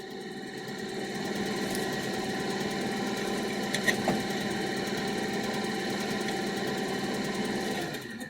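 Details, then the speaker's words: Barn-find 1967 Chevy C10 heater blower: steady motor hum with faint buzzing whirr that cuts out intermittently and changes strength; wiring or connector suspected after fuse swap, cause unconfirmed. "oh there we go ah okay in case you're running she's running I wonder if that that was our issue [Music] look you can hear hear it changing"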